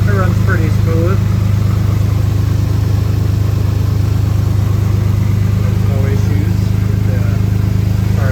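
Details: 1986 Mercury Cougar 3.8L V6 with throttle-body fuel injection, idling after a cold winter start. A steady, even low idle with a regular beat and no knocks or misses; the engine is running healthy.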